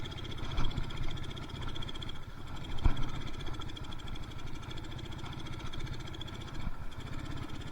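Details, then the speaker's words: Yamaha Mio Soul carburetted scooter lacking power, rpm won't climb above half throttle: the engine stumbles and stutters unevenly, running too rich (too much fuel). "Sepertinya ee komposisi dari campuran BBM-nya enggak sesuai ya. Jadi seperti kebanyakan bensinnya jadi brebet-brebet ya."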